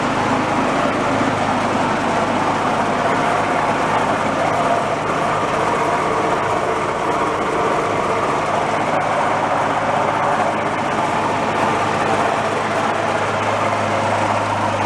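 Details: Yard-sale two-stage snowblower after the carburetor debris was cleaned out, started on choke: steady, even engine note with no misses or surging. It runs smoothly; normal running after repair.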